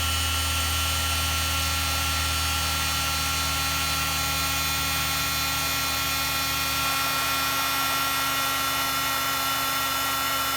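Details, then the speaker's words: Heat gun used to shrink tubing while installing a Monkey Yoshimura fender eliminator kit: high buzzy motor whine with rough gritty edge, pitch slightly dropping; grinding, owner suspects the fan is rubbing. "Oh man, that sounds horrible. Sounds horrible. Something's up with my heat gun."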